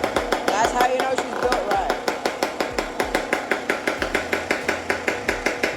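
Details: Rebuilt Honda CR125 two-stroke with a Pro Circuit pipe, first startup with no intake fitted: crisp, even popping at a steady quick beat with no misses or knocks. Clean, healthy idle.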